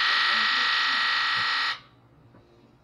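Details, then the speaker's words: Late 1999 Ford F-250 7.3 Powerstroke diesel with diesel fuel in coolant, injector buzz test: rapid electrical buzz per injector in turn, number three rattles quieter than the rest; injector three suspect, to be replaced with cups. "all right so what that tells me is injector three is a little bit quiet and it's suspended"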